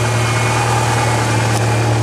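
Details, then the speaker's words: 1997 Ford Escort 2.0 SOHC four-cylinder idling after a timing belt replacement: steady, even low hum with no knocks, misses or ticks throughout, "hitting right on"; normal idle. A check engine light is still on, not yet checked. "Sounds like it's hitting right on. Turn like a kitten."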